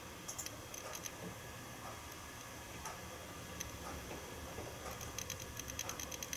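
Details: Seagate Barracuda 7200.10 500 GB hard drive, about 10 years old, bundled with a Synology DS415+ NAS, unedited raw audio while pasting 10 GB of data: rapid, irregular dry ticking bursts like a Geiger counter. Very loud head seeking.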